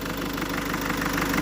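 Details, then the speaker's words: PSA 1.6 HDi diesel idling after replacing the cam-to-cam timing chain kit with tensor slide, which caused an injector-like metallic noise: even diesel clatter at steady idle with no metallic rattle or knock; sounds as it should. "tuvimos que sacar bueno el co latín de arriba y cambiarle este kit de cadena que viene un kit con la cadena y el patín tensor y ahora pues suena como tiene que sonar un 1600 hd"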